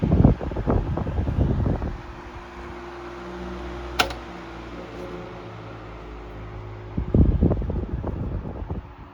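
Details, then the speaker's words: 1973 Frigid (Mitsubishi) 16-inch GT16-S oscillating fan, high speed: bumps at start and end around a steady airy hum, no rattle or ticking; normal running, 1300 ft/min. "No rattle on the high speed. 1300 feet per minute on high, which is pretty strong, I would say."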